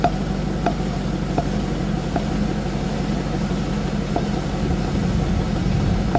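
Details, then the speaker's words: Ford Bronco in gear while driving, axles rebuilt about 2 years earlier: sharp irregular knuckle-cracking clicks, one or two a second, over driveline drone, becoming a growl. The owner suspects a bad front axle bearing and a possible vibration source. "I don't know whether you can hear that. I wonder if that's a bad bearing in the axle. Hear that knuckle cracking sound?"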